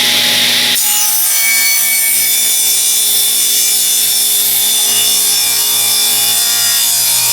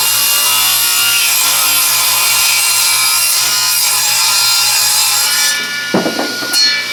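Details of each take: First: Free used table saw with a newly fitted plug, cutting wood on weak shop power: blade screams steadily then the motor note sags and winds down as the saw bogs; owner suspects insufficient power supply, something popped, wood also collapsed on itself. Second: Free used table saw with rusty table and a newly fitted plug: steady even hiss of the blade through wood then spinning down; owner says it sounds different, cut fairly smooth but rougher as stock doesn't slide well on the rust.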